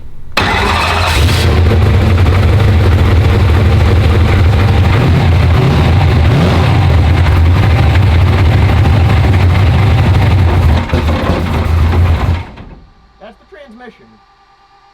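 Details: Car's automatic transmission makes a loud, heavy low rumble with a rough rattle until shutdown, while the engine itself sounds good. The transmission is suspected of needing to go back to its builder; the fault is unconfirmed.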